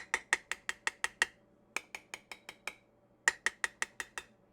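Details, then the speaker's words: Tap test on sealed regular-mouth and wide-mouth Mason jar lids: sharp, ringing taps in quick bursts, clean bright pings with no dull thud, the wide-mouth slightly lower-pitched. Both lids sealed. "both of these are um sealed both are sealed it's not very but it's just has a slightly kind of lower sound to me"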